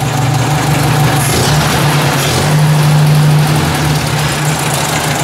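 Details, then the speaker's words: Ford 800 tractor, slightly warmed, idle air screw barely open: low, slow, even idle with a steady beat and no misses; idle turned right down, running smoothly. "seems to be running pretty good there"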